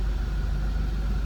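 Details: 2002 Chevrolet Monte Carlo SS Dale Earnhardt Signature Edition, 3.8 L V6, automatic with overdrive, one owner, 515 miles, just started, no warning lights: even, low, steady rumble with no knocks, misses or ticks. Normal idle.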